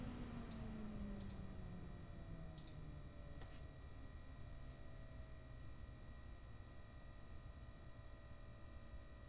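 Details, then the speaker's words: PC with an AMD Radeon R9 Fury X, its radiator fan (apparently a Nidec Gentle Typhoon) ramped up and down to show the noise profile: a soft, even rush and low hum that falls in pitch as it slows, with no rattle; normal fan noise. "first I'll start by ring the fan speed up and down so you can get an idea of the fan noise profile the fan appears to be a nidek gentle typhoon"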